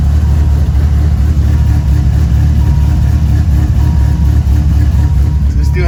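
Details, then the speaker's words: 1997 Dodge Viper GTS V10 after new spark plugs, wires and oil: deep, uneven, loping idle with stumbles, engine still shaking; persistent misfire, coils suspected but tested working, cause unclear. "a misfire so i'm gonna make sure it's the the coils right now and i'm gonna have to go and buy them because it kind of feels the same"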